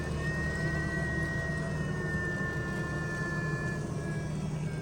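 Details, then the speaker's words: F10 BMW 535i xDrive after timing chain replacement: electric coolant pump running its bleed cycle, a steady low hum with faint high tone falling in pitch, started via low beams, comfort mode, vents max, fan low, pedal held 10 seconds. "And then you hold down on the accelerator pedal for 10 seconds. And then you let go. And then after 5 seconds, it'll start bleeding. And you can hear it."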